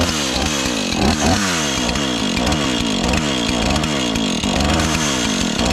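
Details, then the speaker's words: Husqvarna 435 X-Torq chainsaw, reassembled after freeing a stuck chain brake, holds a steady high two-stroke buzz without dying or surging, finally staying on after being run a bit; running properly. "here we go it's finally staying on now just needed to be around a bit"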